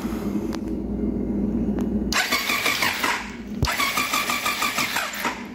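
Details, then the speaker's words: 1999 Triumph Daytona 955i parked for years, battery reconnected with a ground missing: starter churns at an even rapid beat but never catches; no spark, and the always-on headlights had run the small 10 Ah battery low. "all right let's turn around and see if we got spark I'm willing to bet that we"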